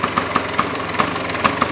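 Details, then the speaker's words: 1977 Vespa Super two-stroke, after tilting the scooter to feed the carburettor: slow idle with crisp pops about four a second, slightly uneven but steady; owner says it usually starts right away and runs sweet even after sitting unused. Normal idle. "tuh ya, enak ya, masih cihuy ya. Vespa gue biasanya walaupun jarang dipakai, pada saat mau dipakai itu langsung top chair, langsung cihuy."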